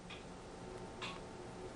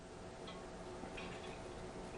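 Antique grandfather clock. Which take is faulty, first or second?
second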